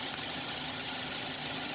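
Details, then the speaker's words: Used Toyota Avanza, after revving from the engine bay: settles into a steady, even idle with a thick engine note and no knocks or misses over a hissy background; normal idle. "karena ini gas dari Avanza suaranya nih tebal-tebal mesin amat udah bisa dipastikan"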